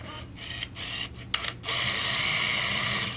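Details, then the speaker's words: Olympus Infinity Stylus Zoom 140 35mm camera after finishing a roll of about 8 frames: lens retracts, flash goes down, then a steady, even high rewind-motor whir counting down to the flashing E; healthy rewind. "lens retracts, the flash goes down, we hear the motor running if we were to look at the display on the top."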